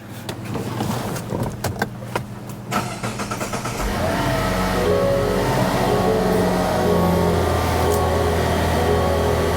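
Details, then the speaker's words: 2024 Mazda CX-90 3.3L inline-six, started right after spark plug replacement: brief uneven cranking then catching into a smooth, even idle with no misfire or stumble, no check engine light; normal start and idle. "Seems to be running fine. I do not have a check engine light."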